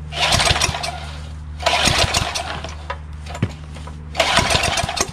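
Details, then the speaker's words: Craftsman 3HP Tecumseh lawn edger, very corroded and rusted carburetor, spark present: starting fluid sprayed through the carburetor into the intake manifold at half throttle gives three short bursts of ragged firing that die between pulls; fires only on starting fluid, fuel delivery fault. "spray some more fluid through the carburetor into the intake manifold so there we go that's what i was looking for fellas we have life in this engine after all"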